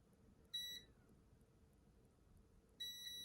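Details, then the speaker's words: HP laptop with no power, motherboard capacitor removed and tested with meter: brief high beep, a pause, then a steady unbroken continuity tone across the cap, so the capacitor is shorted. "Boom. So that cap is shorted."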